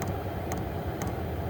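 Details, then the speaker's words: Diesel heater after repair with new plugs, new fuel line, fuel filter fitted on top and fuel pump mounted upside down, running about 20 minutes: steady hum with crisp double ticks about every half second from the dosing pump; normal operation. "it's working it's been running about 20 minutes now"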